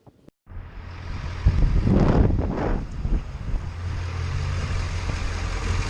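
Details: Ford 7.3L diesel after fixing no-start and blowing fuse 30 (shorted deteriorated fuel heater): catches after brief crank, settles into steady low rumble with wind noise, no stumbling; normal running.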